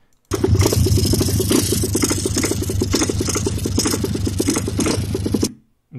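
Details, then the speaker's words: Dirt bike sold as a 150 runs with a coarse, lumpy, tractor-like chug about four beats per second instead of a crisp single; rough running, possibly valves or carb; chain also left overtightened and unadjusted. "On dirait un tracteur le truc. C'est pas une 150. Il y a un gros problème déjà."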